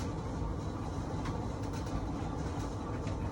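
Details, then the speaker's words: Whirlpool dryer YWED9620HCO after a repair kit with idler pulley, belt and drum rollers was fitted. The drum now turns with a steady low rumble, and the earlier screeching noise is gone. "Sounds a lot better than that screeching, crazy noise that's going on."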